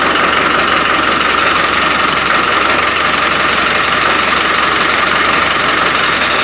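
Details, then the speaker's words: Rebuilt Land Rover 300Tdi diesel after fuel delivery trouble, which the owner thinks is the lift pump: even, steady diesel clatter at idle with no stumbling or misfire, now that fuel is reaching the injectors. "well seems as if it's the lift pump i'll let these fumes die down well at least it's a runner"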